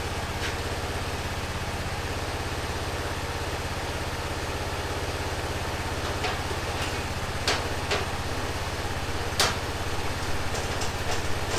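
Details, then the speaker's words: 2005 Honda TRX650 Rincon, 650cc single four-stroke, revived non-runner, cold on choke in neutral: an even, steady low thumping with no misses or knocks, plus a few handling clicks. The idle is clean, and the carb may need slight tuning. "sounds pretty good huh need to let it warm up"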